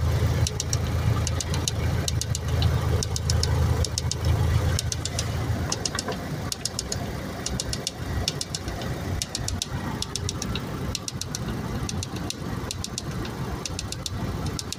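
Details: 2002 Honda Civic at idle: uneven light knocking about four times a second with faint ticking on top; engine noise of uncertain source, cause not confirmed.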